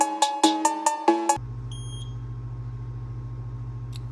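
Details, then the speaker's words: Programmer writing the BMW E46 325xi's original VIN file to a donor EWS3 immobilizer module: six quick even chirps about five a second, then steady low hum; normal chirping with good connection during write. "all right so we have a good connection you can hear this one's chirping"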